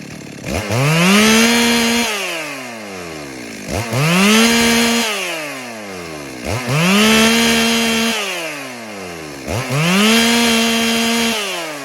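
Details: Stihl MS 382 chainsaw: four rev-ups climbing quickly then holding a flat high pitch before dropping; apparently normal running, the fluctuation at high revs is just the RPM limiter.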